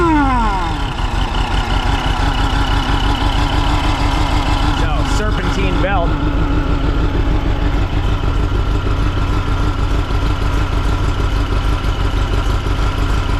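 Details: 1961 VW Beetle with AMR500 supercharger on new 4-rib serpentine belt replacing V-belt: steady even idle with smooth constant whirring, no slapping or squeal; blower now runs about 82° versus 320 before, normal operation.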